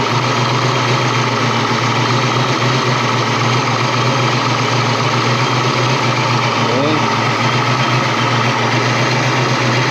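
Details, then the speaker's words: 1988 Saleen Foxbody Mustang V8, fresh motor with Trick Flow 170 heads, Kenne Bell supercharger, Megasquirt ECU: loud idle, uneven stumbling beat under steady blower whine; misfire, pyrometer showed cylinders 5 and 6 running cooler; plug wire suspected, later traced to the Megasquirt setup. "That cylinder is not firing very well."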